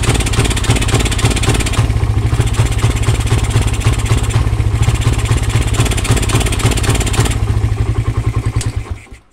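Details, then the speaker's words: Suzuki Satria FU single-cylinder engine starts and idles normally but stumbles and pops unevenly when the throttle is blipped; carb cleaning/adjustment and new spark plug did not help; faulty regulator/rectifier starving the ignition found as cause. "ini permasalahannya motornya enggak mau digas kita Nyalakan dulu nyala normal Tetapi kalau digas seperti ini"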